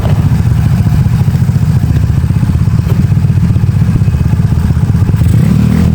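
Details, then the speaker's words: Honda Beat carburetted 130cc after over two years of use, racing exhaust fitted: quick even blips, crisp steady firing with no knocks or misses; normal revving. "Mantap. Suaranya juga halus. Suaranya halus, Guys."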